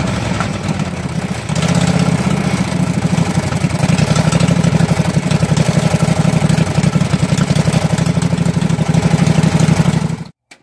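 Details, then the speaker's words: Husqvarna mud mower's 18hp Kawasaki V-twin revived after pond submersion (water in gas and oil): float bowl drained, fresh gas with Sea Foam; steady even idle, about four beats a second, no misfire, until shut off. "watering the gas um watering the oil a lot of water in the oil and it fired right up and ran"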